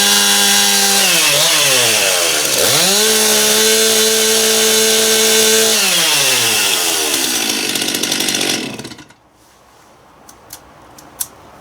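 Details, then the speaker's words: Stihl MS271 chainsaw test-run after clutch drum replacement, old drum badly worn and grooved; revs hard, holds a clean steady full-throttle scream, drops back and shuts off; ear-piercingly loud, runs strong and even. "seems like a really loud saw too it seemed uh kind of ear piercing loud"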